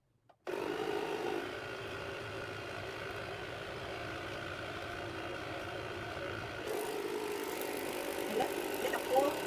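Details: A Waterpik water flosser runs with its reservoir filled with water and vinegar for cleaning. The motor gives a steady, even hum with a light water hiss and no faltering or knocking, so the pump is working normally.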